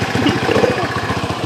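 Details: Tiger motorcycle, hard to start when cold: single-cylinder idle with uneven thumping beats that wander in strength, unstable and lacking power. Fuel sprayed at the carburetor stalls it, confirming a lean intake air leak.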